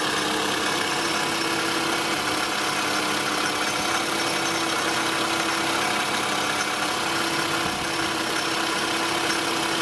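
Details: Toyota Estima ACR30 at idle: fast, steady metallic shaking rattle, much louder when revved; pulley and tensioner noise plus AC oil leak and failed compressor, fixed by fitting a rebuilt compressor.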